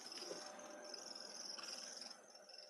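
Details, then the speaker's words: Running Roomba 600-series-like robot vacuum, a thin steady high-pitched squeak over the soft whir; cause not identified: squeak while running. "Do you hear the squeaking of this thing at all or is it just"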